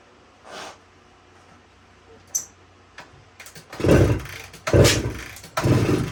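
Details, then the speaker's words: 1972 Suzuki TS185, fuel valve on, key on, choke applied: three heavy kicks a second apart, whooshing turnover, never catches; compression very low even with head gasket ring in, owner suspects worn rings. "so it's probably most likely the Rings are shot shot and um just doesn't have enough compression to start it"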